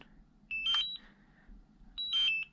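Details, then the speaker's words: DJI Mavic Air controller that won't charge: high-pitched double chirps about every 1.5 seconds in a quiet room, the low-battery warning; the fix is replacing the controller battery. "um and it used to beep like the low battery beep i used to let it beep for half an hour and keep going until it's almost out of juice"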